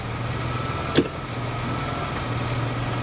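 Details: Hybrid with about 175 thousand miles, idling in gear: steady, even low hum with no knocks or misses, just one brief click; petrol engine idling smoothly, mounts fine with slight engine movement.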